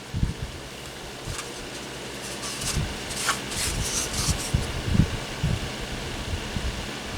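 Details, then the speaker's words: Honeywell twin window fan HW-627, yellowed front and buckled part, on low speed; soft steady rush of air with faint motor hum, decent airflow, very quiet, no rattles or scraping: normal running on low speed. "Start with low. Decent amount of air. Very, very quiet."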